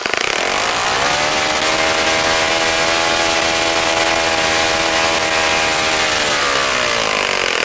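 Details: Saito FA-65 model four-stroke on its first run after rebuild, APC 12x6 prop, Morgan's Omega 10% fuel, Fox Miracle plug, heavily primed to start; high steady buzz rises and holds smoothly at full throttle, then eases back without misses; normal running.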